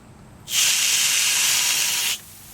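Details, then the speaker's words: 4-gallon Water Worker pressure tank charged at 45 psi, valve opened with the mic close: a steady loud hiss of water for about a second and a half, and the pump does not start; normal discharge, about 4 gallons before the pump cycles. "So that squirted quite a bit of water."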